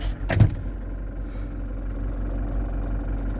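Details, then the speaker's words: Camper van engine idling just after restarting on a newly fitted battery, following a battery fault that left it dead about a day and a half. Steady low hum with no misses or knocks. Normal idle. "Ah, je suis content. Ça faisait quand même une bonne journée qu'il n'avait pas démarré. Une journée et demie. Je suis vraiment content, il a redémarré."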